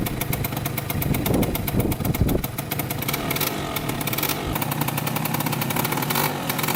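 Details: 2003 Polaris Sportsman 90cc two-stroke ATV on its first ride after a new top end, oil pump and wheel alignment fix. Crisp, rapid popping rises and falls smoothly with throttle blips; owner says it runs really good.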